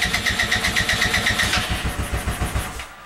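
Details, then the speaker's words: Go kart small engine, cold start in snow just above freezing, starting spray used: steady cranking chug about four beats a second, a brief pickup as it nearly catches, then dies away; hard cold start. "this is definitely a cold star hard start it's not even that cold out either just above freezing"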